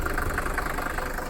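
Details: 1980 Mercedes-Benz 300D diesel bought at auction, needing steering and other repairs; steady, even diesel clatter at idle with regular beat and no misses or knocks. Owner calls it a good engine. Normal diesel idle.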